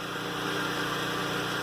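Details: Flotec shallow well jet pump, newly installed and running off a generator, builds pressure toward its 30/50 pressure switch. A smooth, even motor hum with no knocks or surging; the pump runs properly and the fittings hold.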